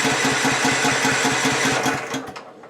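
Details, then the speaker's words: Husqvarna LTH 1542 lawn tractor, not started in 5 or 6 days, after a drive belt change. Brisk, even starter cranking at about four pulses a second for two seconds, then it stops without catching. Cranks but won't fire. "Hadn't been started in 5 or 6 days, so this may take a while."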